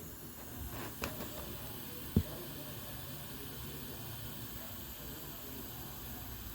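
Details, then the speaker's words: Ford Everest A/C held at 200 test pressure: continuous soft hiss with no pulsing at the evaporator; refrigerant leaking from the evaporator, to be removed and submerged in water to check. "Sumisirit siya. Masyadong malakas mga ka-vloggers."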